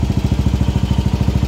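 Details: Rusi single-cylinder motorcycle revved after a new stator coil was fitted for a faulty pulser; before the fix it cut out and backfired when revved. Now steady exhaust pulses, about eleven per second, with no popping. Normal revving.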